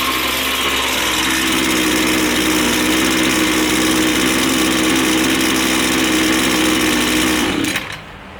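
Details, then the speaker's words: Two-stroke line trimmer after low-speed carburetor adjustment backed off until the head stops spinning at idle: high buzzing holds one steady pitch with no hunting or bogging, then is shut off. Smooth, even idle. "So now we've got that one there set on our low. Everything's idling nicely. Once we start the unit, it's nice and smooth. It doesn't want to bump up and down."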